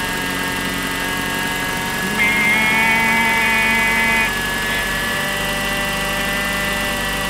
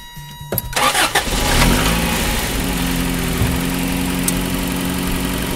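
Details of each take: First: 1988 Toyota 4x4 van, about 30 years old, idling: thin, steady high whine over the idle that dies at shutoff; suspected bearing in power steering pump, water pump or alternator; belt removal found a rattle in the water pump. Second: 1988 Toyota 4x4 van, 30 years old, chasing an engine whine by removing one belt at a time, with the water pump belt off: short crank, then a steady idle with no whine; power steering pump ruled out, water pump suspected.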